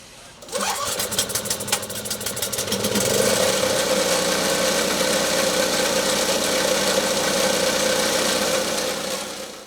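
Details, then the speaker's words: Snow blower engine starting after a spark plug replacement, with spark confirmed: one rope pull, a quick catch, then a steady, even running note with no misses or knocks. "looks like we were successful in getting our engine running"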